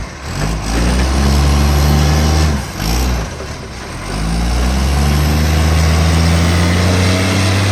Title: Ryde Green Waste | SL757 - Huge Exhaust Leak